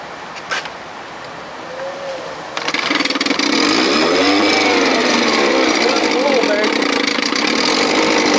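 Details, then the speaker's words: 1957 Montgomery Ward Sea King 5 hp two-stroke outboard, running without a thermostat and without its cover, so exhaust is loud: it catches and holds a fast, even buzz with no sputter or surging; it runs well. "joking building sounds good with no thermostat [Music] man that thing was so loud this thing is and that four horse what did you put a cover on it wait till you put a cover on this you won't hear it oh yeah I want to hear that yeah I mean it sounds great that's exhaust"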